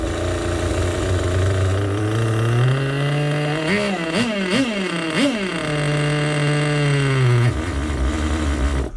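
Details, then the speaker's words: One of three vintage nitro RC engines (HPI RS4/MT2, OS tagged) fires on its first start with a hot glow plug after feeling soft on the pull. It gives three clean throttle blips, then settles to a steady high idle and runs healthy. "there it is he works first start of him I like that I like that a lot"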